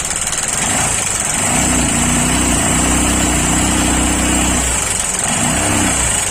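Idling single runs rough with an uneven rapid knocking clatter over a hissy top end, pointing to a worn bearing and scuffed piston.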